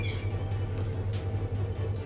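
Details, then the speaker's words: Hatari Slide Smart L1 18-inch electric fan running before repair: constant motor drone with sharp high-pitched squeaks coming and going; worn fan motor bearings, not yet seized, squeal continuously and are to be replaced. "ก็เสียงก็จะประมาณที่เปิดให้ชมไปเมื่อสักครู่นี้เลยนะนะครับซึ่งตอนเนี้ยนะครับมันก็จะมีเสียงเงี้ยดังตลอดเลยนะแต่ลูกปืนเนี่ยมันยังไม่ถึงกับตายนะนะครับ"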